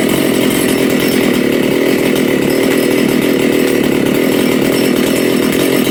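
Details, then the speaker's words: Makita/Dolmar 7900 85cc 54mm big-bore chainsaw, carb limiters removed, needles tuned from one turn: loud steady full-throttle roar with rough burbling four-stroke edge; low jet was lean and richened, high jet set rich. "just a bit of tuning hopefully you heard that I just it was a little bit lean on the low jet so I I tighten the loaded up a bit more and it nearly died so I gave it more fuel"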